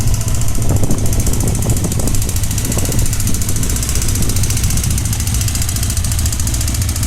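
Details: Honda CBX 550 F at idle: loud idle with busy mechanical chatter over the steady exhaust beat, coming mainly from the right side of the engine (seated on saddle); abnormal engine noise, cause not pinned down.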